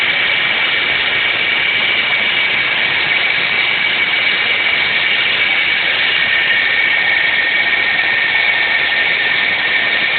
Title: 06 sonata 3.3l v6 whining/squeak noise